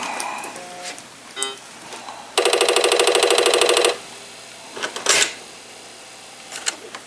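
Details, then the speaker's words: Apple IIgs disk drive (top drive) booting a disk: quiet whir, then about a second and a half of rapid, even buzzing head-step ticks; seeking and booting normally. "chug chug chug all right we got booted up on that drive"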